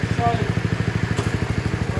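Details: Small single-cylinder mower started on choke after an oil change and worn-part replacement: steady, even thumping at about ten beats a second, unbroken; normal running.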